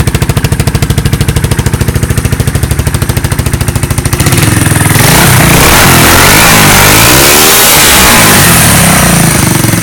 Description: The exhaust manifold pipe has snapped before the muffler, making it louder